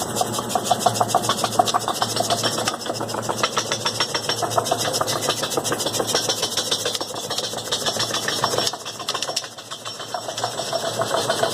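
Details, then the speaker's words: Mercedes AMG brought in for a suspected suspension or shock noise; on a noise-detection shaker rig a quick uneven scraping rattle came not from the suspension but from the wheel shield rubbing. "não encontramos nada na verdade o barulho está relacionada a blindagem do pneu"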